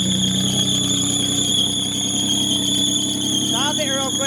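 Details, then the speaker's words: Custom top-mount turbo 350Z, just started after reconnecting an unplugged sensor, in neutral: loud steady high belt squeal over idle, some turbo noise; owner suspects the belt is too tight, unconfirmed. "It's probably just too tight. What does it feel like? Alright, so it starts pretty well, but you hear the belt's pretty squealy."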